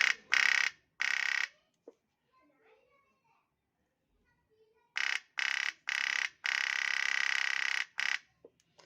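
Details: Electric solenoid fuel pump after repair (stuck from broken internal parts) and reassembly: sharp buzzing bursts switching on and off, then running steady; the pump is cycling cleanly and working normally.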